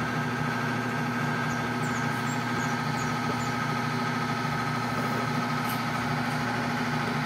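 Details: Whirlpool LSP 780GP washer, formerly noisy on spin and leaking water, after the drum bearing and oil seal were replaced: a steady, even spin hum with a smooth low drone and no grinding or rumble; the bearing sounds healthy.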